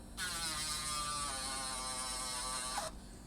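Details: 5 V miniature air pump for a pocket smoke machine: steady even high-toned buzz for about three seconds, then stops cleanly; running normally.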